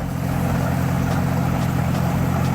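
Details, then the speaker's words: 2003 GMC Envoy 4.2L with its correct replacement alternator, at about 40 degrees outside. Battery disconnected while running: the engine keeps idling steadily with no misses, showing the alternator is good. "you got a good alternator she's not gonna shut down"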